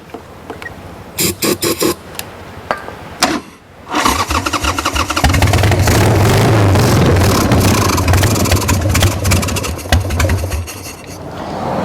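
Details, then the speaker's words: Wrecked 1996 Harley-Davidson Sportster 1200, parked years, on a booster with choke after freeing a sticky part: cranking with uneven pops and brief catches that sputter and die; owner thinks it looks like it's throwing too much fuel. "She almost looks like she's throwing too much fuel."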